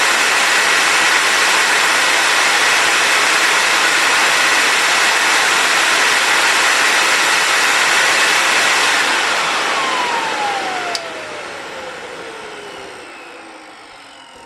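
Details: Compact TriStar C8 two-speed vacuum, Ametek motor after bearing replacement and regreasing: steady even high whine at full speed, no rubbing or rattle, then smooth falling coast-down; about 9.3 A high, 7.8 A low; healthy motor.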